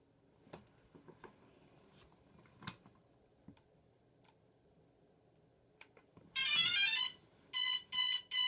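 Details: DJI Phantom 2 drone that won't start its motors despite calibration: a long steady beep, then three short high beeps in a quiet room, with no motor spin-up. It refuses to arm.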